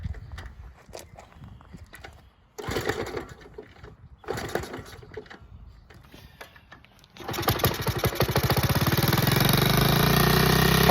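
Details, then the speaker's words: 1979 Honda Z50 custom ratrod: small uneven coughs and pops, bogging and stalling, then rough ragged running; owner suspects timing, or that it is almost in gear; valve a little loose. "Why is it bogging? She stalled. She stalled. That sounds like it's almost in gear. It might be the timing."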